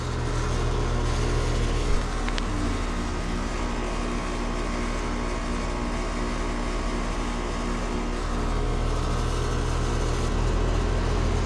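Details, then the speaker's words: AC unit with condenser fan wire disconnected to test head pressure. The compressor keeps running with a steady low hum instead of stopping, and high head pressure is not produced; the fan speeds up when powered. Suspected compressor fault. "That's going to turn off the condenser fan motor. And we're going to watch head pressure. It should be able to produce a high head pressure. All right. How is that still running? Huh? Whoa. That's not supposed to be"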